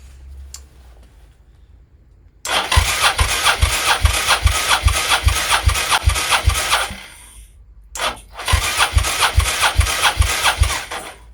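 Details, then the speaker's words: Suzuki SV650S V-twin, plugs out, compression test recheck with digital gauge on new batteries reads about 188–189, in line with 185 on both cylinders (target about 160–215); steady cranking, even pulses about 2.5 per second, no weak strokes; healthy compression. "Okay sort of stopping about 189 so that sounds better um 188 yeah I think I think we're good"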